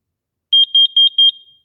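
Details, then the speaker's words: Carbon monoxide alarm, monthly test-button check: four sharp, high-pitched chirps in quick succession, then silence; the alarm responding properly to its self-test. "now our carbon monoxide alarms need to be tested as well every month so you push the test button and you hear that beep sound"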